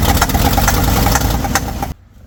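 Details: Old 1970 Ford F600 dump truck V8, revived after years off the road and fed fuel by hand, runs roughly and pulsing about two seconds then cuts out, starved of fuel.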